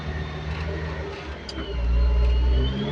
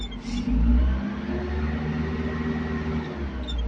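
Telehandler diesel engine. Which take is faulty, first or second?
second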